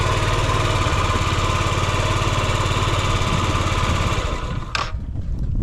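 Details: Yamaha Gear scooter (UA08A): steady even low putter at idle with no knocks, rattles or ticks; quiet, healthy engine with no abnormal noise.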